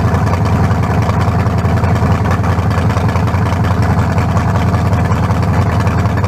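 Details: Fresh lower-compression turbo small block for a 1974 Nova, 40 over, forged pistons, 3.48 stroke: deep steady V8 idle burble, even unbroken firing, no knocks or misses; healthy and smooth, judged better than the cracked-cylinder 388.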